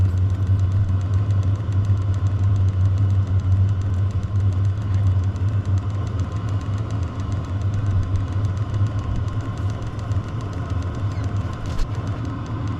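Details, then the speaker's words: VEVOR 5 kW diesel air heater, very cold day, battery about 10-11 V, just fired up with heat exchanger temperature reaching about 150-152 °C: even low hum and steady combustion roar with no stutter or surging; running normally. "so we have successfully fired up it will stay running now"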